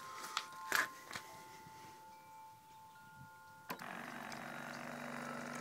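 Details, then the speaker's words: Zodi camp shower upgraded with a 12 V DC Flojet agricultural sprayer pump: after a few taps, a soft steady low hum with faint high tone, quiet and even with good flow; normal running. "as you can hear the pump is really quite quiet here's the flow works pretty good"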